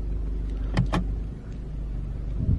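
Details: 2016 Mercedes GLE W166 after parking brake module replacement and programming: two short electric motor whirs about a fifth of a second apart, then a third, over a low idle; the parking brake releases cleanly.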